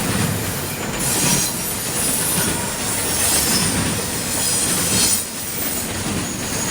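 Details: CSX intermodal freight train passing in Georgia: loud high screech over the rumble and clatter of the cars, rising and fading with each wagon; wheel squeal.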